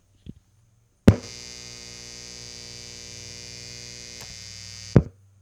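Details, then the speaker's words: Guitar amp on grid power as a baseline before testing the Bluetti Pioneer Na inverter, boosted about 9 dB: switch-on thump, steady low hum with faint buzz, switch-off pop; normal mains hum. "All right, so you'll have heard a little bit of a buzz because I boosted that about 9 decibels just to make sure that you could hear it."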